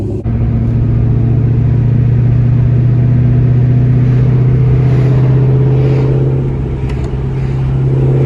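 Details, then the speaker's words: Warm Mustang V8 idling with a deep rumble, slightly uneven beat and an occasional faint cough only at warm idle, despite new parts; owner suspects DPFE/EGR, tune or exhaust, or maybe normal; idle stumble. "It's just kind of a weird little cough at idle."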